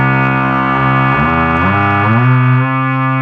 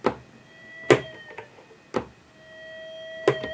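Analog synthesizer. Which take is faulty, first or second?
second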